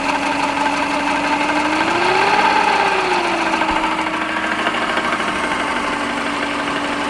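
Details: Subaru EJ15 boxer engine running: dull tapping about three a second under a hum that briefly rises; internal engine knock, cause not identified.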